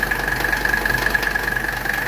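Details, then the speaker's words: 1985 Mercedes 300TD W123 diesel wagon idling while R12 refrigerant is charged into its overhauled AC system; the compressor just kicked on, adding an even faint high hum over the steady diesel clatter. Healthy idle with the AC compressor running. "we're going to hear the AC compressor kick on there it went the compressor just kicked on man it's sucking that stuff in"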